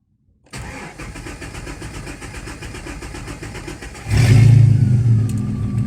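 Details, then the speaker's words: GM Omega CD 4.1 after fixing loose starter motor whose teeth ground against the flywheel: clean even cranking at about four beats a second, fires and settles to idle without grinding; normal starting. "funcionou sem barulho nenhum normal"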